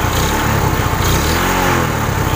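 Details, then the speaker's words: Suzuki Shogun 125 cold, fault: dies and loses ignition when hot, weak pulser suspected: cold start, even idle and clean throttle blip with no misses; running normally while cold. "ya telur motornya menyala dengan normal kita gas juga normal"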